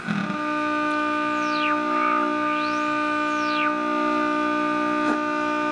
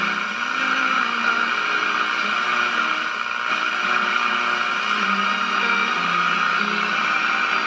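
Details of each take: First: GE tube radio under repair, drawing about 190 mA, with suspected front-end problem and oscillation, tuned to around 589 on the dial: steady clear test signal with whistles as the dial moves, good reception though tuning is poor. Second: GE tube radio at about 97.6 V B+ with a transmitter antenna wire loosely tied on: a station barely comes through a steady wash of hiss and static. Weak reception traced to the RF front end before the 12BE6 first stage, acting almost like a lack of antenna.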